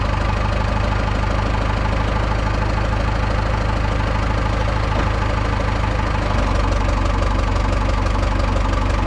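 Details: Cummins-powered Tahoe diesel, first start after removing and manually cleaning coked injectors: even diesel clatter at a steady idle with no misses or stumbles. Normal healthy idle; the earlier black smoke under load is now gone.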